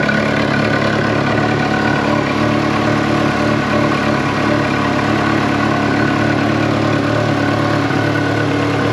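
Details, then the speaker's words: Ferrari 360 Challenge Stradale Spider V8 after first fire-up: steady idle with faint uneven tick-like rhythm underneath; belt tension feels okay and WD-40 on pulleys didn't remove it; abnormal noise at idle, source not yet found. "spread a bit of wd-40 on just the pulleys here and again the noise is still there"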